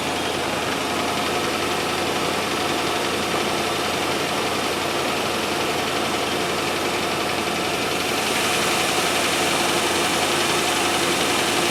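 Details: 1997 Land Rover Discovery 1 on a stand-in battery, shortly after first start: the engine ticks over evenly with a steady beat, but the idle sits a little high.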